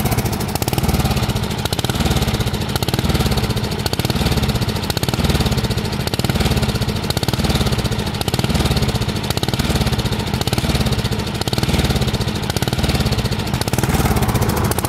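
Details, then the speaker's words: 13.5 hp Briggs & Stratton mower engine surging, speed rising and falling every two seconds, despite new carburetor, fuel, fuel filter, fuel lines, spark plug and battery; cranks easily, so owner doubts valve adjustment is needed; cause unknown. "like all right so there it is surging at its best"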